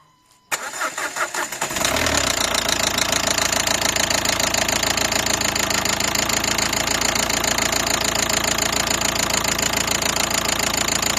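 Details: 2012 Nissan Qashqai 1.5 dCi diesel that suddenly began knocking one morning: a hard, even knock three or four times a second at idle, heard equally across all injectors; the cause was jumped camshaft timing.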